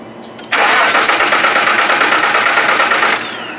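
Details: 1995 Nissan first start attempt: starter spins the engine at an even cranking rate for about three seconds but it never fires; owner suspects an ungrounded or bad coil or something still unplugged; timing belt not broken.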